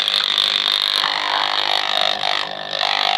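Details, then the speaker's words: Marina 200 aquarium air pump, screwed down and plugged in, giving a harsh steady high-pitched buzz even with cover on; diaphragm holder rattling against pump base, fixed by placing two cardboard pieces under it. "I plugged it in and this was the noise that I was getting Now how did I actually get rid of this noise because even when I place the cover on it"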